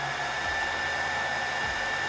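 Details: Oster hair dryer that would not turn on, after repairing a short in its wiring, tested on normal current while measuring amperage: steady fan whoosh with an even motor hum at constant speed, no rattle or cutting out; normal running.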